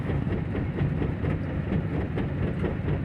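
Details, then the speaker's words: 1969 race car with dropped valve being towed to shop: loose uneven thump about 86 per minute under a low rolling rumble, galloping ride; owner guesses leaf springs, cause unconfirmed. "not sure why, but this car rides like a horse. It feels like we're galloping."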